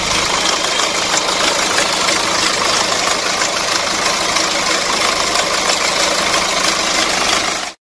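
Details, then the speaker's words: Hyundai Santa Fe DM with R diesel engine, listening at the timing side at idle: loud regular metallic chatter about three per second at engine front; timing chain stretched from poor maintenance by previous owner, needing chain, tensioner and guides replaced. "소리가 는 차량은 2차 전 차주분이 엔진을 관리를 제대로 못했기 때문에 타이밍 챙이 늘어나서 많은 소립니다"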